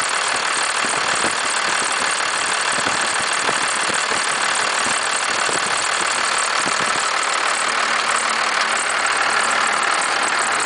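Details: 1991.5 First Gen Cummins 12-valve diesel, cold start at about -10, idle: sharp, fairly steady knock-rattle about three times a second, with slight squealing; owner cannot pinpoint the source.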